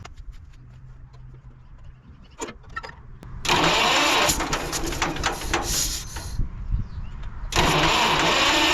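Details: 1946 John Deere BN tractor, 47°F day, cold start after carburetor rebuild and governor throttle control rod adjustment to cure surging: a few seconds of cranking, then it catches, runs strongly, dips briefly and picks up. A clean, healthy start.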